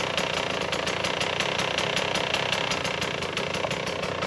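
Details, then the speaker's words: 2017 KTM 150 XCW two-stroke just fitted with an SC2 Smart Carb, new spark plug and clean air filter, first start with choke on, cold: fast, even popping idle, slightly lazy and low; idle a touch low. "So sounds like the idle's a touch low, but I'll get it warmed up and I'll take it for a run, maybe go get some lunch and just give you guys my initial impressions."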